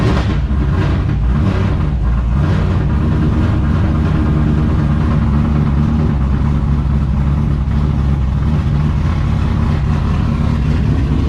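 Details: LS7 V8 in an S14 comp car, sitting about 3 months and being serviced for flex fuel: deep, even burble settling into a steady idle with no misfire lope or stumble. Owner says it sounds like it's running on all 8. Normal idle.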